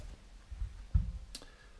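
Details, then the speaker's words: Roma Sorrento mobility scooter whose rear electric brake gives a soft clunk and sharp click as it engages because the throttle pot is not centred, a throttle fault later fixed by pot replacement. "So I can hear the electric brakes clicking on the back, so it's telling me there's a problem, that's not centered properly."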